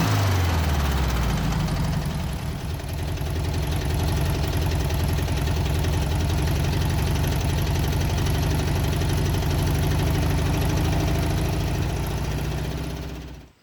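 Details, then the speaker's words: 1967 VW Beetle four-cylinder revived from storage, idling after bad tank fuel was addressed: uneven, lumpy fast idle like running on three cylinders, with a steady tapping knock about four times a second that does not sound like bottom end, likely valve train. "You know, I can definitely hear that we're running on all of 3 cylinders. There's a pretty bad knock sound, but it doesn't sound like bottom end."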